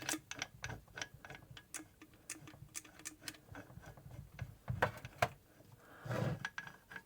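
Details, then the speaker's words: Crosley gearbox being rebuilt with new bearings and gaskets, oil just added, shaft turned slowly by hand. Light, even ticking of gear teeth: very smooth rotation. "Very smooth."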